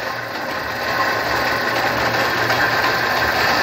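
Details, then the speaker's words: 1999 Fiat Palio engine: uneven, stumbling idle with a hissy, lumpy beat that never settles before the engine dies; misfire from a cracked cylinder head, compression test showing 7.5 on cylinder four. "Tá partido aí, Juan. Tá bom. Olha aí. Esse cabeçote já era."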